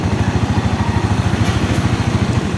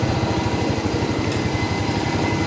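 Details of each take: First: Rusi 125/150/175 motorcycle, idling then fuse removed: steady low putter falters and dies; no supply from regulator red wire, battery drained. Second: Rusi 125/150/175 motorcycle after fitting a new 10A fuse with a drained battery, kick-started then revved: fast, steady single-cylinder exhaust beat without misses or knocks; running normally.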